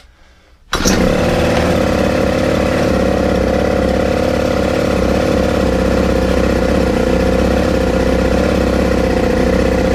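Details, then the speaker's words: Ryobi four-stroke trimmer with a substitute carburettor catches after a pull and buzzes steadily but won't keep running; owner suspects slack in the throttle cable stops it opening fully flat-out. "I'll get to run long enough with the UH with the UM I think the issue of God I'm getting is there's so much slack on this frog control it's not actually open flat-out"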